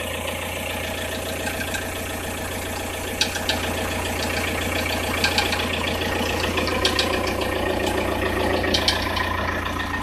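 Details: Audi A6 C4 1.9 TDI diesel at cold idle, occurs only at 0–5 °C ambient, disappears as engine warms, heard near timing belt, tensioner rollers fine; loose, uneven tapping over diesel clatter; irregular knock, source unknown.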